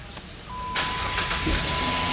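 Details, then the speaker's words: Dodge Charger 2.7L V6 brought in for clattering noises: at idle, a fast light ticking over a steady hum that seems to come from one side; sounds like valve train, cause not confirmed. "Whoa. Y'all hear that? Uhoh. God, that sound like valve train. Oh boy. 27 not known for val train ticking."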